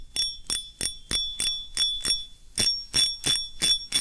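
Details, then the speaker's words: Fishing reel clicker after repair, broken clicker replaced and glued in; spool turned by hand. Crisp, even clicks about three a second; clicker engages cleanly and sounds healthy. "อันนี้เราจับสปูนเนาะมันอาจจะเสียงอาจจะไม่ดังสักเท่าไหร่ถ้ามันเป็นสายnดึงมันอาจจะดังกว่านี้นะ"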